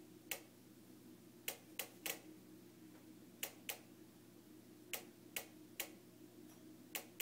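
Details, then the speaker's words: Newly purchased Jenn-Air stove ticking for a minute straight, sharp irregular igniter clicks one to two per second over low hum, continuing with knob turned off; repairmen came repeatedly but couldn't fix it, cause unknown. "so far it's been ticking for a minute straight"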